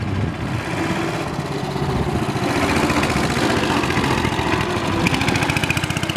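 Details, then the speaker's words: 1965 Cushman two-speed scooter, cold start with choke pulled, in low gear for test ride; small single thumps at a steady putter, slightly uneven at first and smoothing out; rough cold running, seller suspects it needs fresh fuel and warming up. "runs sounds like she's kind of smoothing out a little bit bike probably needs what I call an Italian tuneup that's some fresh Fuel and just get out there and get it warm"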